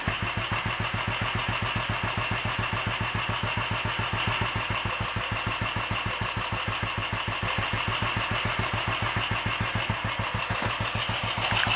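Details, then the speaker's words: Royal Enfield 500 single after full engine rebuild (new mains, forged steel conrod with roller big end, forged piston, alloy barrel) and minor adjustments: steady thump about 3.5 beats per second, even tickover, no misses, starting easily; normal healthy idle. "seems to be running well enough sounds happy enough we life and it's ticking over nice and steady starting easily"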